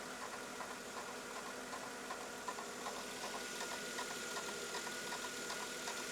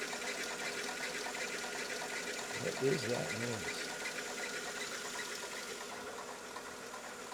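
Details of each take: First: 2000 Mercedes E320 at start-up after idler pulley replacement: quiet idle with a faint, fairly even tick about two or three per second, an initial belt-drive noise fading away as it settles; normal idle. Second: 2000 Mercedes E320 startup: fast, uneven ticking with a steady high whine over the engine right after starting, seeming to fade; source not yet clear.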